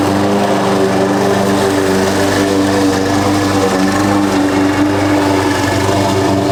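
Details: Husqvarna push mower that sat over 4 years, after a clean carb and correct oil level (Rotella T6): steady high-pitched buzz, no surging or misses; runs much better, a loose blade suspected rattling underneath.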